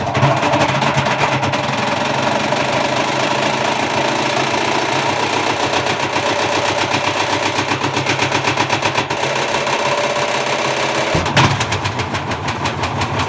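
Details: Bosch Classic 6 1200 Express washing machine hot-wired straight to the motor, top ballast removed, objects inside: irregular heavy banging and rattling as the drum spins loose, then a hard clunk; drum spider fell apart after a fast spin.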